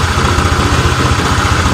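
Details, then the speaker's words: Honda Vario 125 (old) with stumbling and overheating complaint, before repair: uneven wavering idle that won't settle, rpm set at 1,000 drifting to 1,600 by itself; throttle opening/TPS value fluctuating, throttle body to be checked. "yang dibutuhkan itu sudah sesuai tapi untuk rpmnya ini kelihatannya terlalu kadang naik kadang turun di setelan 1.00 ini berubah sendiri menjadi 1.600"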